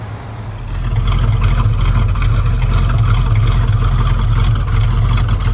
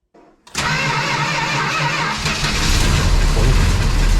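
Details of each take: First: 1971 Dodge Charger R/T, 440 big block, after a cold start following over 4 months of sitting, carb needing rebuild: low lumpy big-block chug settling into a smooth, steady idle after a brief blip, even firing, no knocks or misses; normal idle. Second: 1971 Dodge Charger R/T, 440 V8 with a finicky carburetor needing rebuild, cold start at about 9°F after four months sitting, with a slow crank: it catches roughly, sags and dies, with a slight lifter tick.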